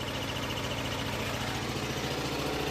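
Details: Onan generator from an old RV, fed from a gas can via a rigged vented cap: low, steady drone with an even beat, no hunting or stumbling; relatively quiet, running smoothly at constant speed.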